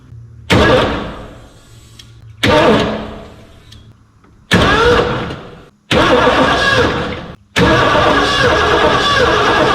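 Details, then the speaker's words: 1989 Ford F250, parked since about 2016, with a new gas tank and a new cheap DieHard battery: five cranking bursts with the starter turning steadily but no catch; the spark was later lost. "She was a cranking today, but uh just couldn't get her to bust off."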